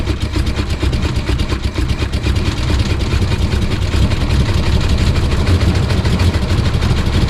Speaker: it runs on four cylinders now because cylinder number five is dead because of the lifter being pushed out of the it's bore cylinder number one is dead because it threw a rod but it still runs on four